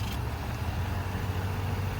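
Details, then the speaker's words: 2023 Nissan Rogue, about 6,500 miles, abandoned vehicle at auction, started without a jump: low, soft, even engine hum just after starting, no knocks or misses; very quiet, healthy normal idle. "Started right up. As you can hear, it's very quiet and moving it forward."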